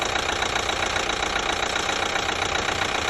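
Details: 2012 Chevy Equinox 2.4L with a new timing chain, warm idle, quiet when cold: sharp even tick about two and a half per second; sounds like the high-pressure fuel pump, but the pump is brand new; source unclear.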